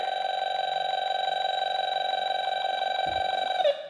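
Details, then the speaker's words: A/C refrigerant leak detector (model 5650) set to R-134a, wand at fittings with created leak: fast steady high even beeping few per second as refrigerant reaches wand; detector alarm, best for major leaks. "Go away from it. Come back to it. See it? That's where the leak is."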